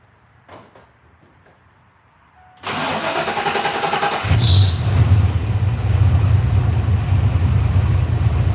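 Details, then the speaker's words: Carbureted engine with a Holley wideband, restarted after sitting at quarter throttle with no pumping: the starter churns unevenly before it catches into a low, lumpy idle. It starts quicker but not as quick as the second try; it smells a little rich and the owner wonders if it needs hotter spark. "so you can already see it it started quicker but it didn't start as quick as it did that second time so yeah um something's going on there"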